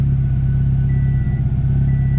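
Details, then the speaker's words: 2007 Subaru STI Limited, built 650whp turbo engine, warming up after leak-down and compression tests and before an oil change: smooth, even low rumble at steady idle, no ticks, knocks or misses. Normal warm-up idle. "all right guys got everything buttoned up letting it warm up right now and then i'm gonna go ahead and change the oil on it"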